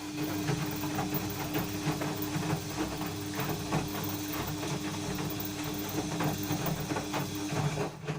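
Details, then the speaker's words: Washing machine during wash as drum spins: steady motor hum with repeated dry metal-on-metal scraping; drum, seal clean, no foreign objects found, noise returned; cause unknown. "может быть вот такой скрипт скрежет железа такое ощущение что что-то трется об что-то железо железа"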